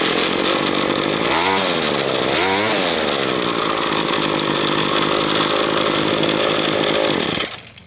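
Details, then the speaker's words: Ryobi ES30 two-stroke string trimmer after carburetor cleaning with GumBuster and mixture and idle speed adjustment: steady high buzzing note with brief rev swells, then cut off; now running properly tuned. "it sounds pretty good now so i'm gonna leave it here"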